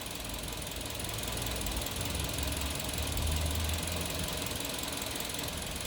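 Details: Kia New Carens with a 2.0 LPI (LPG) engine that the owner says has recently felt jerky. Uneven idle with irregular dull thumps about three or four a second and stumbles breaking the rhythm: a cylinder misfiring, traced with ignition coils swapped between cylinders 2 and 3.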